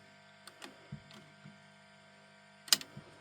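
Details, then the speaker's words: Grundig Reporter TK12 reel tape recorder, reassembled, play pressed: uneven sharp clicks in bursts over a faint hum; the solenoid that pulls the heads onto the tape chatters instead of pulling in, cause unknown. "So this what's happening here is this solenoid here should energize pull this in. When it does that it brings these onto the heads when it's"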